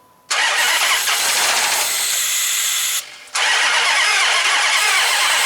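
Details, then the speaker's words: 2005 Dodge Magnum RT Hemi with two dead cylinders on opposite banks, spark plugs refitted: two long runs of quick, even cranking with throttle, never fires; no fuel pressure, old fuel smells bad, fuel tank and wiring deteriorated. "We don't really need to see what the fuel pressure is as much as we just want to know if there's fuel pressure. But let me get it."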